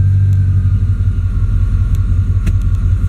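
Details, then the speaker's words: Truck idling in gear, worse with AC on (torque converter suspected, lockup gone): deep, uneven low rumble loping about three times a second with valves ticking, idle dragged down like a slipping clutch; lights make no difference, not electrical; cause suspected, not confirmed. "Hear the valves ticking? It's like the engine's being lugged down."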